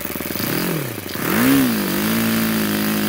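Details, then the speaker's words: YS FZ63S supercharged glow engine after rebuild (replaced throttle barrel seal), APC 12x8 prop, Omega 15% fuel, 2,220 idle to 10,000 rpm top end: crisp blips climbing and settling cleanly, no stumble or hesitation; healthy throttle response. "And here's the top end. There you go. You can see the throttle response on these things is amazing."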